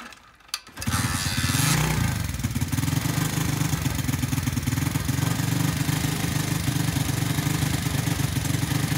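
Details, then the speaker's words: Cheap Chinese automatic 4-speed pit bike cold starting: brief cranking, catches on choke into a fast, slightly ragged idle; runs only on choke and bogs on throttle, owner suspects clogged carburetor main jet, before carb rebuild. "I know it runs but it only runs on the choke sitting so I think we might have a main jet clogged"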